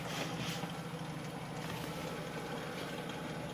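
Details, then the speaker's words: 1995 Jeep YJ, AX-15 transmission, two-wheel drive, rear driveshaft removed, output shaft spinning unloaded, clutch out: low gearbox hum with rough drone in third, louder than first and second; silent with clutch in. "clutch in no noise at all you hear a little bit with the clutch out first second third gets a little bit"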